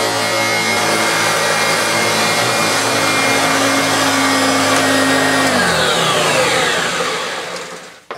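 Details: Hoover Turbopower Autoflex U2198 upright after refurbishment (motor bearings had seized; new belt, brush roll, brush roll and motor bearings): steady strong motor roar, even brush drone over music, smooth wind-down at switch-off; healthy.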